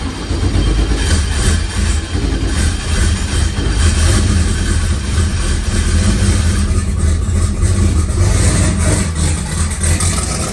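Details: Turbocharged LS-swapped SN95 Mustang with Holley EFI, fired up after a new Aeromotive 5.0 fuel pump install and a loose ground fixed: loud, deep, even idle with a steady lope and no knocks or misses; engine running healthy.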